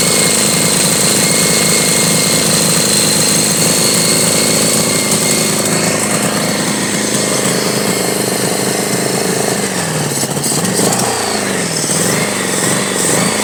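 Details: 1983 Honda Goldwing Aspencade project bike, engine running for the first time after revival, started on full choke; uneven, lumpy running with wandering beat, stumbling out of tune, carburettors likely off; needs real tuning and dialing in.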